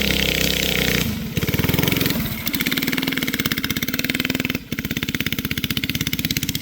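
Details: Flathead Briggs & Stratton alcohol race go-kart engine, barn find sat over 30 years, running E85, test run: rapid popping exhaust beat keeps stumbling instead of pulling cleanly; engine bogging under throttle, carburetor issues suspected.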